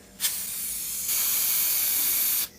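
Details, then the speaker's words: Adec Century Plus dental delivery unit: steady sharp hiss of escaping air from control block when the handpiece whip is pulled forward, starting abruptly and cutting off; traced to a faulty bleed valve leaking air. "we have a century plus delivery unit that has a issue where it is leaking from the control block when the hand piece is the handpiece whip is moved forward"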